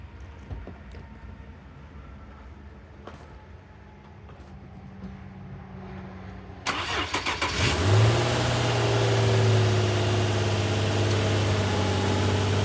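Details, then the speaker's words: 2008 Infiniti G35 after cleaning both throttle bodies, previously low idle and dying on cold start in reverse: cranks and catches, then smooth steady idle with no stumble or hunting; normal idle. "the car is uh running smoother just right off the bat"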